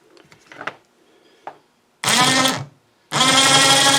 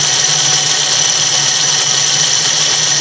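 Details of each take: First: Snow blower chute winch motor after cleaning, greasing gears and reassembly: smooth, steady whine at constant pitch with no grinding or rattle; running a little better, cleanly. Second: Snow blower chute winch motor, removed from the blower and run on the bench before servicing: a steady high-pitched motor drone with a coarse, growly, crunchy grind.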